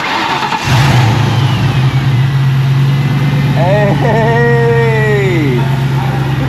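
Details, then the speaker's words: 20-year-old Saleen Mustang after replacing the stock Ford pulley at the front of the engine: cranks, catches at once, settles into a smooth steady idle with no squeal or chatter; earlier front-end noises fixed. Normal start and idle. "that is definitely much better that is pretty sweet man this car has been woring and making all kinds of noises from the front end of the engine since we very first picked it up but now it sounds like all the issues have been fixed so that is exciting man"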